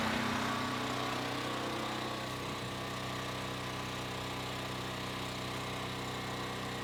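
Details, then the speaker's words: Westinghouse WH7000EC generator converted to natural gas (US Carburetion type C kit), heard from indoors at the transfer switch while it runs outside: steady, even drone with soft regular pulse, no misses or knocks; running normally. "So we're back inside at our transfer switch. You can hear the generator buzzing outside."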